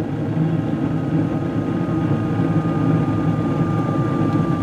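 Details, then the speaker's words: Gas furnace just lit by its hot surface igniter: steady burner roar with the inducer fan's even whoosh and a faint thin tone. Blower is still off while the heat exchanger warms. Normal firing. "so right now this guy is running with just the airflow of the inducer motor and the blower itself down below is not actually on yet"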